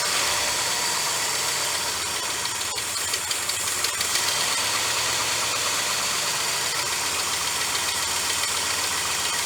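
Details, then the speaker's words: Cobbled-up Ford 390 V8 idling just after first running again: loud steady airy hiss over a light rapid tick, probably a vacuum leak somewhere at the back of the carburetor, with heavy blow-by also seen. "now while she's running idle probably not massive vacuum leak on the back of that on the back back here somewhere i got to dive into that"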